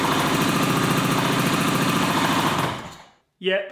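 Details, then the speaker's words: 1981 Suzuki GT250 X7 two-stroke barn find after full rebuild, started with air screw tweak and easy-start: lumpy, uneven beat stumbling about three times a second before dying; running on one cylinder, carb issue suspected. "Huh. I think it's only running on one cylinder. Yep, definitely running on one cylinder."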